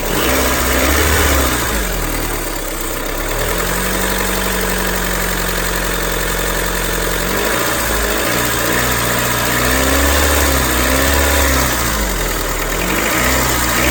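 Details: 2001–2005 Honda Civic LX engine idling and revving: steady rhythmic whirring chatter rising with revs, strange noise when accelerating; worn-out timing belt tensioner.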